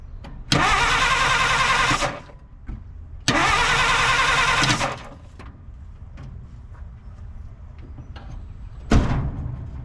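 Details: 1950 Dodge Meadowbrook, sat for unknown time, during spark test at distributor: two bursts of steady rhythmic cranking, no firing or catch between them; crank no start.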